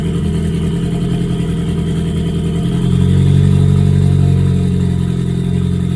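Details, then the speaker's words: Ford Focus warming up after recently changed spark plugs and fuel injectors: a low, uneven, lumpy idle with a brief rev blip. The scan tool shows misfire count six, cylinder three. Timing is suspected off but unconfirmed. "So, we have a misfire detected cylinder three. We did recently change spark plugs and fuel injectors, so maybe we have something not correct."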